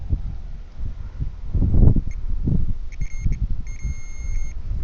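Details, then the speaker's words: Malibu landscape light system, multimeter on continuity across the underground wire from the transformer outdoors: short high beeps over wind rumble show the cable has continuity, wire intact. "So, there's continuity in the wire, so"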